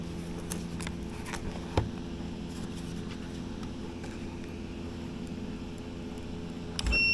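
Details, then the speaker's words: 1964 Dodge D100 heater blower motor after disassembly and reassembly to cure its squeal: steady, smooth hum with no squeal or scraping, only a couple of light clicks, running much quieter than before. "all right sounds like it's running a lot quieter than it was"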